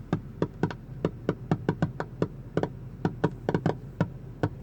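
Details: Car audio: passenger-side rear 6x8 speaker alone makes sharp, irregular popping/crackling in uneven clusters over a low hum; owner doubts a ground fault, cause still unknown.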